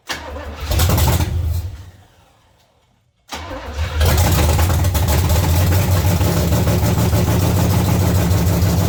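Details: 1970 Chevy C10 305 small-block V8, once seized and now fitted with a new intake manifold and carburetor, very smoky: fires after a pause, then idles with an uneven, loping chug about three beats a second; ignition misfire.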